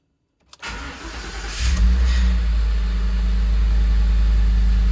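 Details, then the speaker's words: Newly bought truck running tune from owner's old truck: brief crank, clean catch, deep steady idle, sounds normal; a clamp rattle underneath noted afterward. "Sounds normal. Everything looks normal."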